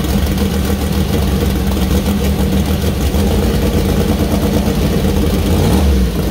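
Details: First start-up of freshly assembled 2000+hp LS (Dart LS Next block, 4in stroke, Brodix BR3 heads, .750 lift solid roller cam): steady deep idle climbing cleanly when blipped near end, no misfire or mechanical rattle; runs healthy.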